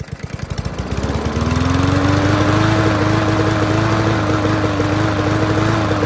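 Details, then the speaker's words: Yard Machines MTD push mower, air box off; revs up then runs lumpy and stumbling instead of a clean drone; spark plug wire found barely making contact, loose and rattling, causing intermittent spark; reseating it fixed it. "so looking at the spark plug since we never had to check it it's like this is barely making any contact if it is"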